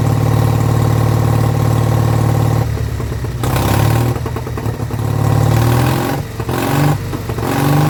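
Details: Vintage Douglas engine, first start after 40 years under a hedge, carb jets recleaned and mixture screw adjusted, run without silencer: steady firing at a few beats per second holding on its own then picking up; running properly.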